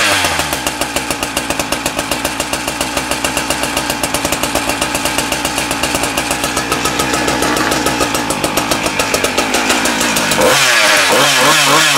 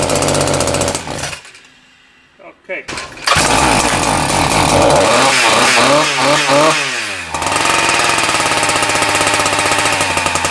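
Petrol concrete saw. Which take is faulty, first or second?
second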